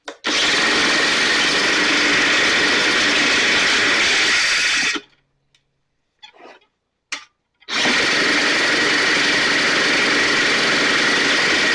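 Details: STIHL backpack blower (believed 6R450), new air filter and spark plug fitted, recoil off. High-revving two-stroke cuts out for seconds then screams back up; runs lean, needs occasional choke to keep running; small amount of water found in tank.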